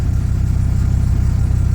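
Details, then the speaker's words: Dodge Ram V10 tow truck at first start after new battery, new transmission pan and fluid fill; steady deep low burble with even beat, no knocks or ticks; healthy idle, good oil pressure, tachometer not working. "not sure why everything else is working good oil pressure all that sweet"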